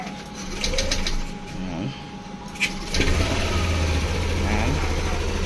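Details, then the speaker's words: Scooter after an ISC reset: it fires up after a few clicks and holds a calm, even low idle with no hunting or surging. The ISC valve reads 24, 23, 22, so the idle is normal. "makikita nyo, kalmado na yung andar. Good na siya."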